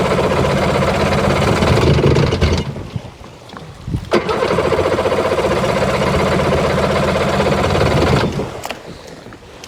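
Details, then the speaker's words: 2001 Sea-Doo GTX RFI 787 fuel-injected, recently revived and running rough and smoky after reported water in a cylinder: two short cranking and sputtering bursts that never settle to idle; won't start in the water. "Won't start in the water."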